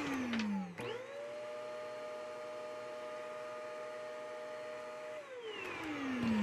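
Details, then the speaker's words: Shark Navigator NV201 vacuum, brought in for an alleged clog: motor spins up to a steady, even high whir then winds down, running with no suction; disassembly later found no fault, possibly a misassembly causing a leak. "indeed there's no suction so we need to make this vacuum cleaner suck again"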